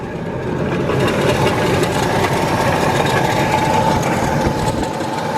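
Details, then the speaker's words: 1999 Ford Explorer at idle: constant rough grinding hiss with a faint ringing note; belt seen moving back and forth, owner suspects a bent fan pulley rubbing the fan housing rather than internal damage; failing water pump bearing. "almost sounds like i don't know a fan or a pulley or something along those lines yeah i could see the belt moving back and forth so it's almost like a bent pulley on the fan that's probably rubbing up against uh fan housing"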